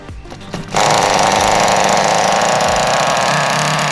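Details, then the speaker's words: Restored 2001 Kyosho Pure Ten V-One S nitro RC car, first start after priming: shrill buzzing two-stroke note, burbly and uneven rather than crisp, after a quiet lead-in; engine running very rich, exhaust still to be fixed. "it's running very rich but i would call that a success i'm super stoked that it started up"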